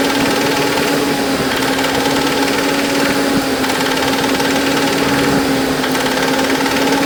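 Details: Ford Ranger with Argentine 2.3 engine, running: an even, high-pitched whirring hum sits over the engine and holds steady; source of the engine noise unclear.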